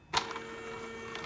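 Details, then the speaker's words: Arduino Uno with CNC Shield V3, DRV8825 drivers and three Nema17 steppers on 12 V supply; quick movement clicks with steady high-pitched whine during normal start-up initialization; whine present whenever powered, cause unknown, ground loop suspected. "okay that's an initialization now I know that everything's working with that noise that noise is creating havoc in my project"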